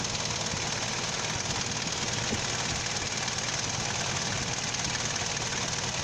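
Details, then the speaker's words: Petrol car idling low and unevenly with AC on, dull uneven pulsing under steady hiss; idle drops and engine shakes as it drives the AC compressor belt because the AC idle-up vacuum valve doesn't supply vacuum to the throttle pull pot. "เนี่ยครับเครื่องมันจะมีอาการสั่นแบบนี้ครับเพราะว่ารอบเดินเบามันตกครับเพราะว่ามันปั่นสายพานคอมแอร์นะครับ"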